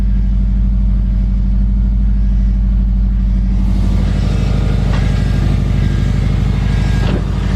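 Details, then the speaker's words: Subaru WRX replacement engine, first start after install following two months sitting: steady, even idle with smooth deep beat, no knock or tick; engine running healthy. "it's your round's healthy dude she runs smooth sounds really smooth after freaking two months of sitting she sounds like this"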